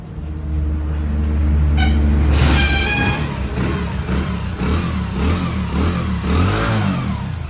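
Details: Hero Splendor iSmart after a full service with fresh Motul 7100 engine oil: it starts quickly, revs up cleanly and drops back to an even idle with no knocking or rattle, running healthy.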